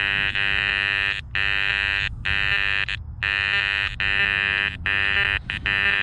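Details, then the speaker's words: Garrett Apex metal detector in relics mode swept over a silver 1964 dime placed among iron targets: harsh buzzing iron tones break in and out with a faint higher squeak hidden inside; the coin signal is masked by iron. "there's a little bit of a squeak in there that you can hear let me turn the iron audio off"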